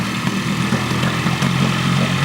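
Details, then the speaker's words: Parsun 15hp four-stroke tiller outboard, cold start: after ~30 s on choke, choke pushed in to fast idle; uneven lumpy pulses and sagging speed as engine starts dying, insufficient choke, fix by pulling choke out a little while it warms up. "if you hear the engine dying just pull the choke out a little bit like I did just then so it's dying now a little bit more"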